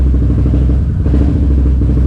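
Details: Can-Am Renegade race quad after a new pitman arm and alignment, still running rough: a low, lumpy idle with brief dips like missed firings, hunting and skipping; fault codes not yet read.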